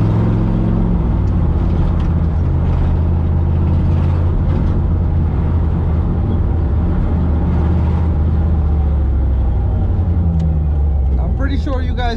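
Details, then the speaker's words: 1987 Toyota Supra heard while driving: a rough, heavy low rumble with no clean knock standing out. The exhaust is known to be leaking, but it sounds more like rod knock; the owner hopes it is only the exhaust leak, unconfirmed. "it sounds so bad it sounds like it's a rod knock more than it's an exhaust leak but i do know that the exhaust is leaking so i'm keeping my fingers crossed i'm hoping that it is an exhaust leak and it's not a rod"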